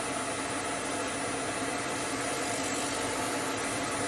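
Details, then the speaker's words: Hope Woodturning MK2 thread jig on a router at 3000 rpm, thread in beech, one extra click for a further pass: even high-speed whine with a steady cutting hiss, no knocks or chatter; normal cutting. "une petite pression à l'arrière pour éviter que la frais ne touche les filets on remet un clic et on refit un passage"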